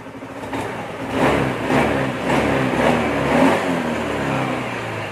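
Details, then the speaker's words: Honda Beat FI scooter after fixing a leaking fuel pump valve with glue, which had caused hesitation and power loss on initial throttle: quick throttle blips rise cleanly and drop back with no stumble. Normal acceleration. "jadi dari bawah sampai ke atas itu aman ya nggak ada ngempos nggak ada brebet"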